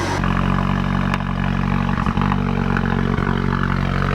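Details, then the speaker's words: Peugeot 308 GTi (Prince engine) cold start after a new rubberised water pump pulley was fitted: engine catches into a steady, fairly loud cold idle with no tinny rattle from the front; pump drive sounds healthy. "Water pump's engaged and it's very quiet. Obviously we had a cold start there, super loud, but all looks well."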